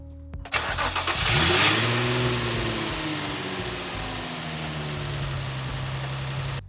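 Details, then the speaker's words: Nissan 350Z just after drive belt replacement (old belt squealed): starter cranks briefly, engine catches with a rev flare and settles into a steady idle with no belt squeal. "pasek założony teraz odpalamy i będziemy sprawdzać czy piszczy czy nie bo tamten już piszczał przy"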